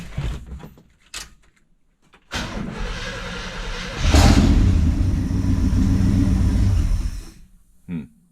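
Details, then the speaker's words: 1974 International pickup sat for years, after spraying carb cleaner through idle screw passages: cranks, catches, runs rough and picks up, then fades and quits; runs only with choke wide open, carburetor rebuild suspected, no knocks. "still got to have the choke wide open she is smoother though"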